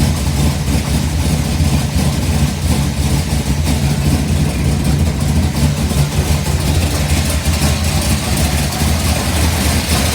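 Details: 1955 Bel Air with newly installed 572 big block (860 hp), hydraulic roller cam, new headers, 40 series Flowmasters, computer still learning, first start: deep steady lumpy V8 idle; early tapping gone; runs healthy.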